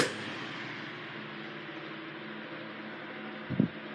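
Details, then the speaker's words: 1980s Sanyo EF709R 9-inch oscillating fan, 40 W, C-frame motor freshly oiled, oscillator regreased, on oscillation: smooth steady motor hum, no grinding or rattle, one soft bump; normal oscillating operation. "It oscillates very nicely. Gave it some fresh grease, so. And of course the motor got fresh oil. Yeah, it's a really nice runner."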